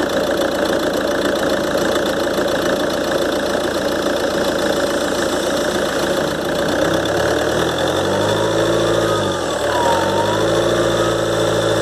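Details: Ford Transit 2.2 diesel (7G), 2013, cold start after about a minute of running: steady idle with a thin turbo whistle wavering in pitch. Compressor wheel (abrasive wear), shaft bushings and seals replaced and actuator rebuilt, yet the whistle remains. Owner suspects imbalance.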